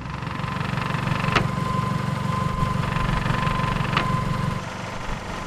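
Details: 1996 Toyota Camry just after timing belt and water pump replacement, fresh start before thermostat opens: steady low idle hum, no rattle; far quieter than the old clattering water pump.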